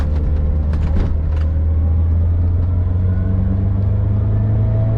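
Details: VW Vanagon with Honda K24A engine conversion, automatic shifted manually, in first gear under hard acceleration, GoPro on windshield: strong, smooth drone climbing steadily in pitch, even firing, no knocks or misses; healthy engine under acceleration.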